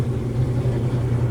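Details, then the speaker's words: Old Maytag top-load washer, lid safety switch held in with a screwdriver on spin: steady even low hum, no knocking or grinding, tub up to speed while water drains; normal spin, confirming faulty lid switch. "You can hear the water draining. And you can see the water draining out of that tube."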